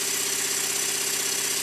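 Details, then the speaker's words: Completed Stuart Models S50 model steam engine running very fast with an even hiss and steady rapid beat, no rattle or loose knock; runs smoothly despite slight crosshead play, valve timing possibly improvable. "listen to it it doesn't rattle it's going extremely fast and nothing's dropped off it"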